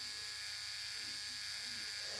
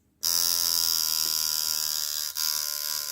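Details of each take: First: Cheap Dragonfly-replica rotary tattoo machine with no rubber bands, run at 6 volts. A quiet, steady high-pitched hum with an even tone and no rattles or stutter: "quiet as a mouse", running smoothly. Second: Tattoo machine run at 5 volts after being tuned without a needle, now with the needle in: a harsh, rough high-pitched buzz for about three seconds with a momentary dip. The uneven, raspy tone is not what's wanted; it is running off-tune and needs retuning.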